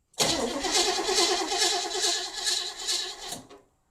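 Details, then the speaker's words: Abandoned, non-running 1977 Pontiac Grand Prix being test-cranked with fuel added and a used spark plug on a plug wire to check for spark; no spark was seen on this attempt. The starter churns steadily at about two turns a second with no firing. Cranks but won't start. "Yeah, I did not see a spark. Give her another try. Nope. Nothing."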